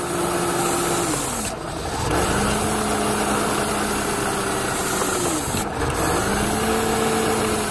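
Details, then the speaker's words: Mercedes C180 Kompressor with code P0102 (200A-2) for air flow meter faults, meter itself fine. A vacuum leak is heard near the intake at idle; spraying electrical cleaner there makes the engine stumble and nearly die twice, then recover. "okay so when I start to inspect the engine then if you can hear this sort of vacuum leak coming from somewhere around here"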